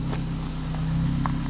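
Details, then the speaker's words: Vauxhall Corsa SE track car (£400) started after sitting for about a month, before the cone induction kit is fitted, with the horn disconnected. Low, steady exhaust burble with an even beat and no misses or knocks: a smooth idle. "yeah she sounds smooth"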